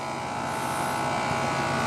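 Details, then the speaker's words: John Deere 170 lawn tractor after steering, front wheel and deck-height repairs, running without mowing deck fitted: smooth, even hum with steady pitch and no misses, knocks or rattles; running pretty good, normal running. "right so it's running pretty good the only thing I need to do now is to put the mowing deck on it"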